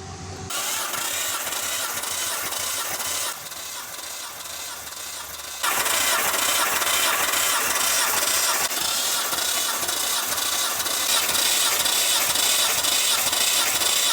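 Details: Nissan Skyline R34 RB28 cranking during a compression test with throttle held wide open: steady, even cranking rhythm with a brief load change midway, no stumbles; all cylinders close, healthy engine.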